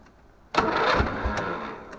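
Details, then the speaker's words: Lawn Flite MTD ride-on mower, about 40 years old, which only clicked at the key. After the solenoid wiring connection was repaired, a brief burst of cranking spins the engine freely. Normal cranking. "excellent well the engine turns over let's start right"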